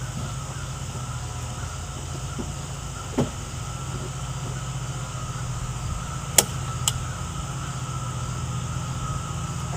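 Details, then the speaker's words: Ford F-350 with 7.3L Powerstroke diesel after a dual alternator install, at idle: thin, steady squeal from a belt slipping on the lower alternator pulley; plan is to refit the regular pulley. "well as you can hear that the lower alternator pulley is squeaking again so I guess something have to sleep it over a pulley off again put the regular one back on"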